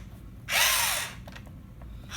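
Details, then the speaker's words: 2002 HPI Dash vintage toy-grade RC car, not yet run; harsh high-pitched ratcheting as front wheels are turned by hand, from the steering motor unit (non-servo, full-left/full-right type), very loud. "I haven't ran this, but it's very loud as I move the wheels. You hear that? Very loud."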